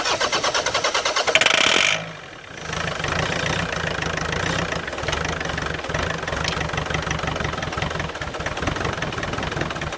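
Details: Land Rover Freelander 2.0 TD L-series diesel farm vehicle cranking quickly and regularly for about two seconds without catching, while fittings are tightened; a leaking pipe was found at the end.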